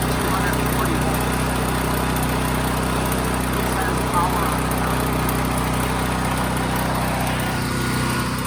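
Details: Firman tri-fuel generator running on natural gas after start and choke returned to normal: constant, steady drone with no hunting, surging or misses, running smoothly under governor.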